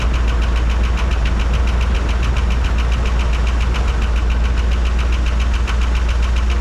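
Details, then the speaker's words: 1985 Dodge D150 with carbureted engine that runs and idles well; quick even clapping tick about three or four a second at idle, suspected lifter tick, oil pressure to be checked; valvetrain ticking at idle. "but I don't know what that sounds like lifter tick to me I don't but it's not quite a ticking it's kind of a clapping noise"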